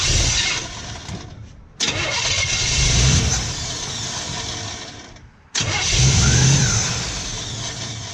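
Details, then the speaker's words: 1955 Chevy pickup, distributor now in properly, firing order correct, timing advanced slightly: two long cranking bursts nearly catching but dying; HEI ignition power wire wired incorrectly, so ignition loses power when the key is released. "we're getting close as it turns out this thing is just wired completely incorrectly"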